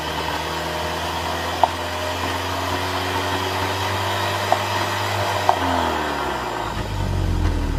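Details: Engine running with occasional sharp pops a few seconds apart breaking a steady note; intermittent misfire attributed to a bad spark plug. Cause suspected, not confirmed.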